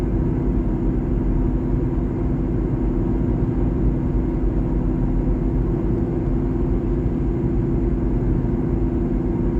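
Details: 2012 Honda Civic LX sedan while driving: steady low drone under road noise, no knocking; owner suspects the driver front wheel bearing is shot.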